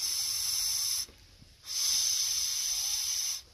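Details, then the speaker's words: Hayward Navigator pool vacuum steering box with a twisting hose, tested by blowing into the smaller port: plain rushing air with no gear whir or whistle, so the steering gears are jammed by an obstruction to be cleared. "you can hear air wind passing through it but you don't hear any gears actually turning and usually it'll whistle a little bit while you can hear the gears turning"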